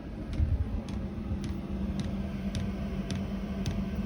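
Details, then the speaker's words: 2 kW Chinese diesel heater fitted inside a VW T4 camper, fuel pump mounted inside: steady low burner rumble with a light regular tick about twice a second from the dosing pump; running normally, no leaks. "just hear the pump tapping no licks it's all nice and simple fitted inside"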